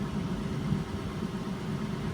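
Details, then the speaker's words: 2007 Saturn Vue, Honda 3.5 V6, AWD, about 359,000 miles, after full exhaust replacement and a drilled-and-tapped manifold stud; steady low even idle with no ticking, leaks or rattles. Sounds much better than before; normal idle. "well that sounds much better than it used to great success"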